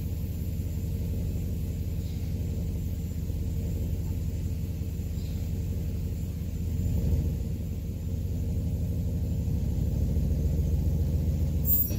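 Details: 2011 Cadillac STS salvage car, first start after purchase, shifter unit unplugged: soft, low, even idle rumble at a steady level with no knocks or ticks; the engine idles smoothly.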